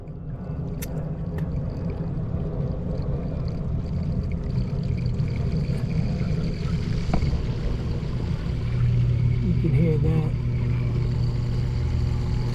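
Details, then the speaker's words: Garbage disposal on a large single-bowl sink running after replacement of a bad copper waste arm with a new one into the cast-iron tee. Steady low hum with water rushing through the drain, no rattle or grinding; drains well, no leaks. "Disposal picks up that velocity a lot. It's got a little mowing in there."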